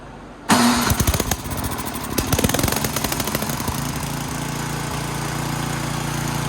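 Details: Ariens snowblower after fixing drive belt falling off and reinstalling chute cable: small single-cylinder engine fires with sharp, quick pops, then settles into a steady, even run without stumbling; sounds healthy.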